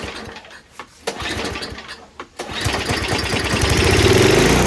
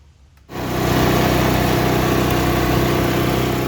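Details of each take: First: Murray Ultra 5hp 22-inch Tecumseh snowblower that would not start, fuel poured into the spark plug hole, no choke: a few sharp pulls, then it catches, revs unevenly and dies, confirming spark and some compression. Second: Murray Ultra 5hp 22-inch snowblower, Tecumseh engine, after carb cleaning for a no-start: with throttle on it catches at once and settles into a steady, even mid-pitched run with no misses or knocks, normal running.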